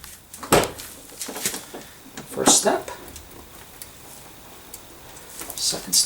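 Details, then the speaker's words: 1992 Mercedes R129 SL door after door check (strap) replacement: door swings through both detent stops with only soft clean clicks, no creak or pop; quiet door check. "i barely hear anything actually i don't hear anything at all looks like it's good"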